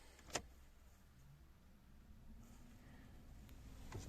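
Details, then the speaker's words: VW Polo 9N3 heater blower motor after cleaning and lubricating to cure squeaking: quiet, steady pleasant low hum with no squeak or scrape, replacing the earlier unbearable grinding. "слышно вам сейчас такой приятный гул не то что раньше скрип какой-то на отлично раньше такой не выносим был скрежет"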